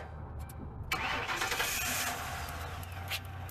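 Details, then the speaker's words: Car on a classic car lot, key turned to start: steady starter churning at about three turns a second, but the engine never fires; a kill lock was suggested as a possible cause, so it cranks but won't start. "No. No such luck."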